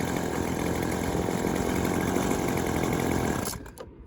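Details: Yardworks 25cc two-stroke trimmer after fitting a new replacement carburetor, cutting head reinstalled for load during adjustment: strong steady buzz holding revs evenly without sputter, then winding down cleanly; normal running.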